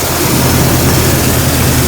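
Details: 1999 Jeep Cherokee XJ 4.0 L inline six idling during the alternator check at 14.9 V, a loud, steady low rumble holding an even idle with no misses, knocks or squeals; normal idle, starter judged bad.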